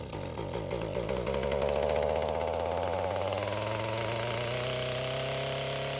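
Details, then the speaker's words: Echo GT-225 two-stroke string trimmer, cold start after a fuel system rebuild (the cracked fuel bulb had caused a vacuum leak). Buzzing at high revs sags and wavers as it chokes itself out. Carburetor setting suspected, not confirmed. "how to adjust the carburetor on this, because it starts to choke itself out at higher RPMs. So something's not set right."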